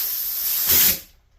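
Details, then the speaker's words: Snowblower carburettor off the engine, which ran only with the choke shut: compressed air blown into the fuel inlet while lifting the float gives a sharp hiss that cuts off, showing the needle and seat seal properly. "it's kind of hard to do he that change and pressure that's the uh seat the needle and seat setting so even though I already knew by just blowing on it I can tell that it's good"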